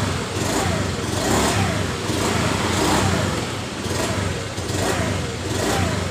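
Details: Honda Beat FI scooter that starts, idles and has normal electrics, with no fault code: when the throttle opens, revs surge and sag about once a second instead of pulling cleanly; fuel pressure suspect, weak pump or regulator.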